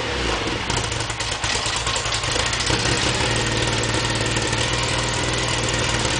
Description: Tuned Mini 1380 first startup after complete rebuild